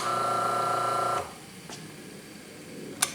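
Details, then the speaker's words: Atlas/Craftsman grinder-hone motor with the belt off, switched off: hum cuts out, then the centrifugal start switch clicks as the motor slows, so the switch works. Slow spin-up is being traced to the start capacitor. "Click. I don't know if you heard that or not, but it did click, so we know the switch is working."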